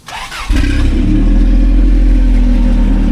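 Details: Toyota off-roader with Dana 60 rear, 35-spline axles, rear spool, front locker, 5.86 gears: short crank, fires within half a second and holds a strong, even, deep idle with no misses; healthy start.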